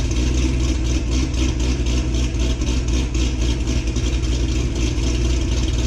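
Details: 2006 Corvette Z06 V8, cold-start recording taken before a new cam is installed: deep, lumpy idle with a steady choppy pulse and supercharger hiss on top; normal idle after the cold start.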